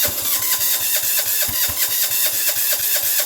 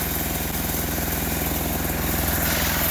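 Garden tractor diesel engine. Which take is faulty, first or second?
first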